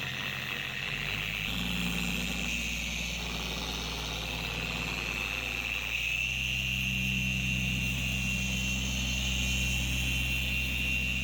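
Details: Four-year-old Carbon Collective DA polisher with increasing vibration and pad walking: a steady high-pitched scream over the motor hum that rises with speed, from degraded gear head grease due to be replaced with red lithium.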